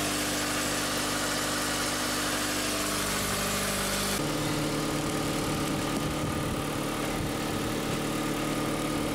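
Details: Corsa 1.8 petrol with new standard exhaust, started after fitting a new alternator to replace the bad one: even, steady idle under a constant hiss, no whine, squeal or knock; battery light out, charging normally.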